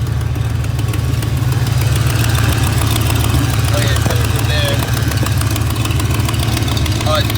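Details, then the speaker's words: 1990 Ford Mustang V8 at idle, hood open: loose uneven puffing tick on the exhaust note from a header leak, developed after donuts; air felt blowing out, owner suspects it's why it runs poorly. "it developed the exhaust leak after that last little donut. And I don't think it's too happy with me. It don't seem to be running the same as she was. And it might just be because of it blowing exhaust out."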